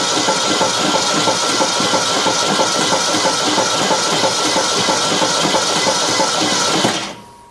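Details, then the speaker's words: 1964 Ford Custom 500 289 V8, freed from seizure after decades abandoned: fast, fairly even whirring cranking about three beats a second with hissy edge, never catches; lifters and pushrods move but one valve stuck open; compression later 0 psi on cylinders 4 and 6. "Well, that's good. All the uh lifters are going up and down. All the push rods are all the push rods are moving up and down."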